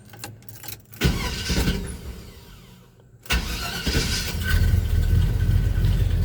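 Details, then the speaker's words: 1978 Chevy C10 V8 with a 4.3 starter fitted and carburetor adjusted: quick crank catches cleanly after a brief pause and settles into steady deep idle; starts much better. "the starter he put Brian put a a 4.3 uh starter on this it starts so much better so much better"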